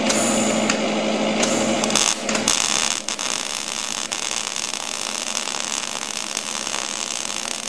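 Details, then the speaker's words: MIG wire-feed welding demonstration with shielding gas on, zigzag weave technique holding about 1/8 inch gap: steady even frying-bacon crackle without pops or sputter; stable arc laying a good smooth weld. "there you go. A little wiggle action, you get a good smooth weld."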